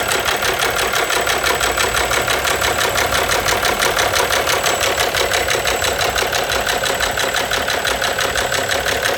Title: Ненормальный стук двигателя